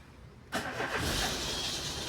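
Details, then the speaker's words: Peugeot 206 on start-up: a harsh, hissy screech with a thin high squeal. Suspected accessory belt, its bearing, or the clutch bearing; the noise seems to come from the accessory belt. "Pessoal, eu tô com o meu Peugeot 206. Sempre que liga ele faz um barulho de correia."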